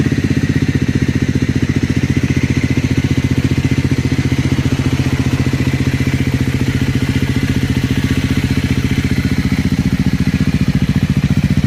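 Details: Triumph 400 single cold start at idle: quick, even ticking clatter riding over the single-cylinder thump; abnormal engine noise, source not pinned down.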